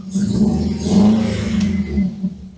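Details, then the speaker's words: Supercharged Ecutek-mapped FN2 Civic Type R on map 1 after parts removal: a lumpy, uneven low exhaust beat with a missing pulse, like running on three cylinders; misfire, cause unconfirmed, plugs to be checked. "That sounds like a, I don't know. Sounds like a 3-cylinder."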